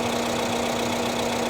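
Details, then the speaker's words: 2017 Isuzu D-Max 3.0 L diesel after injector coding, previously running rough: even, steady idle with constant drone, no misses or uneven pulses, then revved; all cylinders balanced, normal idle after repair. "don't know about you guys but that certainly looks a lot smoother to me hey let's give it a REV and just to prove that it's running evenly"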